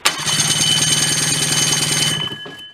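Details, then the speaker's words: Old Rockwell snowmobile engine pulled from a barn, plugs in, cranked on its 12V electric starter via jumper pack: quick, even, firm chuffs about four a second; healthy cranking compression. "all right I'm happy with that I'm going to put a little drop of oil on there too just to keep it from binding up but finally we have Spock compression starter"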